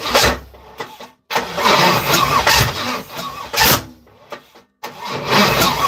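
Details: Third-gen (82–92) Camaro on starter fluid, other coil pack just plugged in: starter grinds in uneven bursts, then sharp backfire bang (fireball), never runs on its own; no start. Owner suspects injectors not working.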